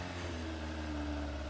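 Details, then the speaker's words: 25-year-old Yamaha FZR1000 first start in six years after carburettor cleaning and fuel system reinstall, oily residue smoking off the head: quiet, steady idle with even hum, no knocks or rattles; revs up smoothly. "once i was happy i gave it a little throttle and it revved up nice and smoothly"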